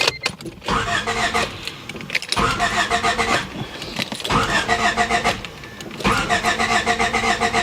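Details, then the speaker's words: 1993 Honda Civic with intermittent stalling; the PGM-FI main relay was already replaced. The starter spins the engine in several even bursts but it never fires. A spark check showed no spark, traced to a faulty ignition coil, replaced with an aftermarket unit. "so I did check the video and we don't have spark so our next step is to go over here on the distributor and I'm pretty sure we had a bad ignition coil"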